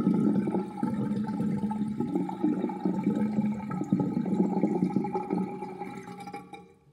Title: New sinkdrain with old universal sinkplug 45.5 mm with plastic ring and chain and gurgling sound